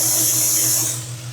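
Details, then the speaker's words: Jeep XJ with a P0304 cylinder 4 misfire and check engine light on: a loud, steady high hiss over the idle from a torn manifold gasket. Vacuum leak. "And I don't know if you can hear that hissing. It's hissing pretty bad, right? So it's hissing."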